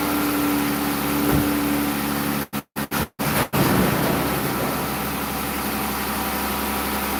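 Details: Dodge Durango after water pump replacement, idling up to normal operating temperature: smooth, even idle with steady low drone and no knocks or misses; healthy warm-up idle.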